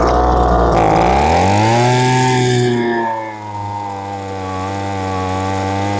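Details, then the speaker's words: Lesco handheld two-stroke leaf blower that bogged and starved for fuel at high speed, carb mixture now adjusted past ideal: revs up to a steady high drone with a slight burble and smoke; running rich. "I'm going to go a little too much. And you'll hear the two-stroking start."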